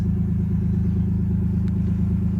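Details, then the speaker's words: 1991 Nissan Laurel Medalist Twin Cam; low, smooth idle with an even beat, no valve, belt, ticking or knock noise, very quiet up front; normal idle. "Nice. Nice and smooth. Good engine note for sure."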